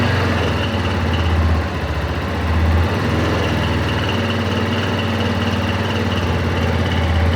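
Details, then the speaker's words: Yamaha Tenere 250 single-cylinder engine idling with a fast, dry tec-tec ticking, attributed by the non-mechanic owner to the cam chain tensioner. "o responsável por esse barulho é esse cara aqui ó o tensor da corrente de comando aqui ó vocês podem ver aí né"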